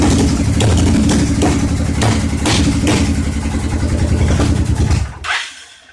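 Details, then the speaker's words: V-twin motorcycle assembled from spare and mismatched parts: an uneven, stumbling beat with missing firing pulses, then it dies. One cylinder won't fire, and cheap injectors are suspected. "One of the cylinders doesn't want to fire still, so those are cheap injectors, so you never know what you're getting when you buy the cheap crap,"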